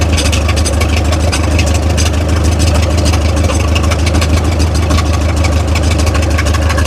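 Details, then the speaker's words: 70-year-old Massey Ferguson TO-30 tractor revived after sitting, carburetor being adjusted: heavy low chugging, steady but slightly uneven; runs nicer now but won't run without choke, suspected fuel/mixture issue. "at least it runs a lot nicer now it just doesn't want to run without choke at all"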